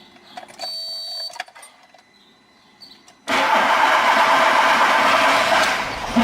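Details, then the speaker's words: 2008 VW SpaceFox starter motor while cranking: a harsh, loud grinding that happens almost every start. "então dentro delta já está fazendo muito barulho enquanto da partida de vez em quando faz um barulho"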